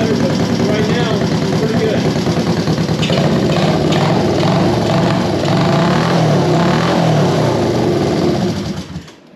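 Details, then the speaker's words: 1973 Honda CB350G twin restarted on new Mikuni VM28 carb kit: fires up and holds a steady, even beat about three pulses a second, no misfire or knock; starts as it should once fuel reached it, leaky petcock pending. "it took a little while to get fuel to it once i did it goes ahead and starts as it should"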